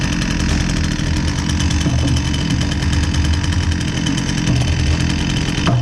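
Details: Husqvarna 122C two-stroke string trimmer that previously bogged and only ran with choke feathered, after repair with fresh fuel: fast, buzzy, even run without bogging or surging; running properly.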